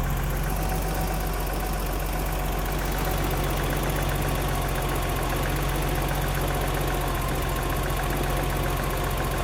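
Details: BMW 325i E30, M20 engine, fully cold: cold idle with a light, quick tapping about three per second over the engine, heard on both sides; loose valve clearances.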